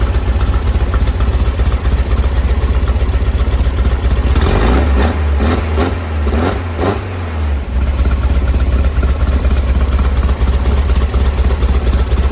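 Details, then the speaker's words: 1970 VW bus flat-four with dual 34 carbs, warming up during carb sync after the idle screws were backed off from too high an idle: smooth, even low throb with no stumble. Idle holds well enough; mixture screws still to be tuned. "okay to me that's holding a good enough idol even as it warms up to move forward"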